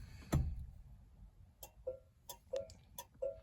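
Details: 1966 Dodge Dart GT, Slant Six 225, turn signals after a damaged ground wire was cut out, soldered and heat-shrunk: crisp paired tick-tock clicks at a bit over one cycle per second in a quiet cab; normal flasher operation.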